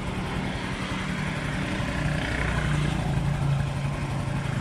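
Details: Yamaha Mio i125 scooter running after spark plug reseated fixed no-start: steady low putter with light even hum, no misses or knocks; idling smoothly, normal.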